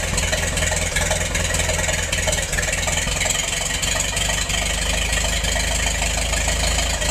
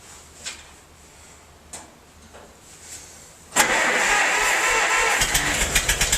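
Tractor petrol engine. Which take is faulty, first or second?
second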